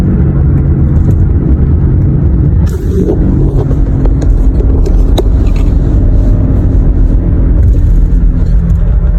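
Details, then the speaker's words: 2012 Toyota Highlander with a worn wheel bearing, noise only above about 40 mph: a steady low droning hum under road noise at cruising speed. "okay so on this wheel bearing it was only making a sound above 38 39 miles an hour so 40 let's just call it 40 miles an hour"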